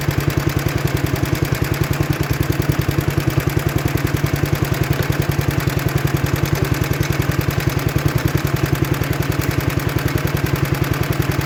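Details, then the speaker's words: 1960s Toro Professional 70 reel mower, small single-cylinder engine, sediment bowl just cleaned: even putter of about three and a half pops a second. It runs with the fuel shut off but won't run with the fuel on. Carburetor suspected, needs rebuilding. "all right so it runs all right with gas shut off if you turn on the gas it doesn't want to run telling me carb has issues and needs gone through"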